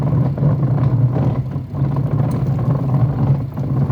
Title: Twin tub washing machine with a rumbling sound when washing